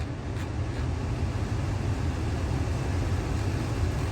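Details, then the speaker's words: 2016 Ford Expedition after blend door actuator replacement: a steady low blower rumble with the vehicle idling and no clicking from the dash. Normal HVAC operation; the clicking problem is fixed. "pretty sure we fixed our problem so yep that fixed our problem so uh we're all done here"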